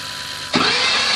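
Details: 2007 Ford F250 Super Duty 6.0 PowerStroke that died at about 70 mph, stalled and won't turn over: on a start attempt the starter gives a hissing whir with no cranking chuffs and spins free; broken flywheel not connected to the crankshaft.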